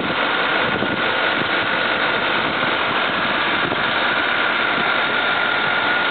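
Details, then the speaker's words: 1959 Cadillac Sedan deVille V8 with hood open: a smooth, steady, quiet hum with no knocks or misses; normal idle. "yeah po open the hood and you can hear it running just as quiet as can"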